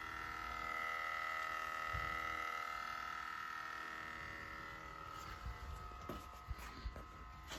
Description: Evaporative emissions canister purge after 5 hours of sitting. Normal operation after shut off.